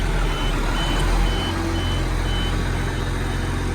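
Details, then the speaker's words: Case 4494 tractor just after cold start, idling in neutral: steady diesel idle with short high beep about every three quarters of a second; owner thinks handbrake warning, cause unknown. "Telling me the handbrake's on, I think. I don't know why, because it's in neutral. Don't know why that is."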